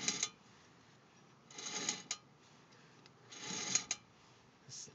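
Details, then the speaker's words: Car with the front driver's side wheel off, turned slowly by hand: a dry rasping scrape about every two seconds ending in sharp clicks, seemingly from further back. Brake pads not worn to metal; cause not found. "click click after that sounds not up here it's back here"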